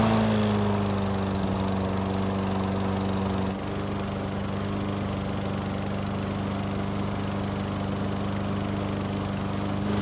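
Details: Toro mower, a couple of years old, hot restart after adding oil: starts on one pull (previously three) and runs an even, steady drone that settles slightly lower. Normal running.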